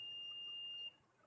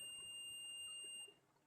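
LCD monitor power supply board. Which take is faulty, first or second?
second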